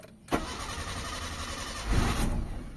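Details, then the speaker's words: Mitsubishi Lancer 4G13 carbureted engine that stalls in neutral, started while testing the carburetor: the starter grinds before the engine catches and revs; hard starting because the carburetor float bowl is still empty. "So ayan, start tayo ng engine mga bossing. Hard starting to mga boss. Wala pang laman yung ano natin, yung carb natin."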